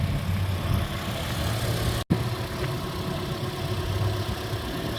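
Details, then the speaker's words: 2010 Toyota Corolla S four-cylinder idling after new spark plugs were fitted (old plugs burnt and corroded), engine bay detailed: low, even, smooth and quiet hum with no misfire or ticking; normal healthy idle. "Yeah, here you have it, you guys. It idles really well. Super smooth and quiet."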